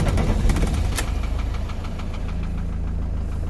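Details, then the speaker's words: 2006 Iveco Daily 35C14 3.0 HPI F1C diesel, 136 hp, that wouldn't start when hot, after crankshaft sensor replacement: quick catch, brief flare, then steady even diesel idle without misses; fixed, normal start and idle. "No flashing lights, and the engine started the first time. Problem fixed without even the need of a diagnostic tool. As you can hear, the engine is running okay, there's no flashing lights, problem is fixed."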